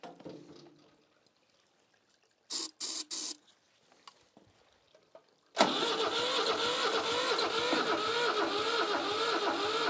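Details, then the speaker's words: Old Shibaura diesel tractor that sat for years, cranked without starter fluid or glow plugs: a few short clicks, then steady regular cranking, but it never fires; maybe slightly stronger than with starter fluid, with a little smoke. "It sounds about the same, actually. I don't know, maybe a little better, a little stronger."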